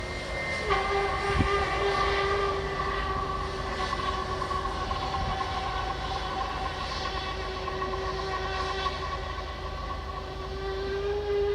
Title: British Airways taxiing to gate at BHD. Also making some screeching noises! 😳